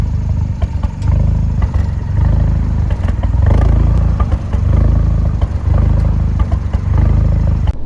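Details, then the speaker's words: Fiat 124 Spider 1.4 MultiAir turbo at idle: deep, lumpy idle with uneven beats and occasional dropouts. Intermittent misfire at random stops, with the data log fluctuating 2 to 8. Owner suspects the camshaft problem known on these engines, not confirmed. "Most of the time, the revs would feel like that and get wonky, kind of like. And even outside is sounding."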